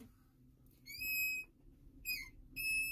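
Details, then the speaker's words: Brake pedal pushed hard: three sharp, high-pitched squeals with slight hissing from under the dash, caused by a vacuum leak at the vacuum brake booster when the pedal pushes the plunger in. "Okay, customer states that when you push on the brake pedal really hard, it sounds like there is a child screaming under the dash."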